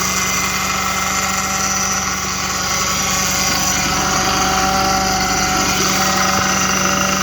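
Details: Audi 3.2 petrol engine at cold-start idle with a steady, even whine of constant pitch over the idle.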